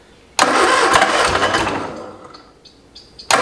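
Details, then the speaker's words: 1973 MG Midget parked over 40 years, fuel tank set on the ground: engine catches, runs ragged, fades and nearly dies, fires again; owner guesses it runs on only one carburetor while fuel slowly reaches the other. "only running on the one carburetor just this one so my guess is that it takes a little while for the fuel to actually filter over to this one and make it actually run that's kind of a drag"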